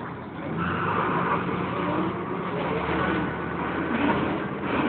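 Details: Wright Renown bus on the move in service: wavering high screech like a tyre burnout riding over the diesel rumble, actually coming from the cooling fan area.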